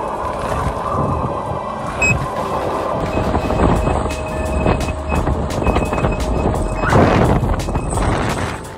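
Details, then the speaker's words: Veteran Sherman-S electric unicycle while riding: short, evenly spaced high beeps over motor and road rumble, the safety alarm telling the rider to slow down. "moving on to more software related safety the wheel is equipped with a a beeper which will beep if it has to if the wheel will decide that it needs to"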